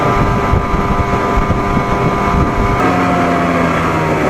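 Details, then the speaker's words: 1987 Johnson 40hp outboard, test run after setting WOT timing by the Joe Reeves method: steady drone under way, even tone with a small pitch step, wind on the mic. Runs smooth, feels slightly slower, idle a little rough. "it doesn't feel quite as fast as it was but it still feels good man still feels good sounds good runs good"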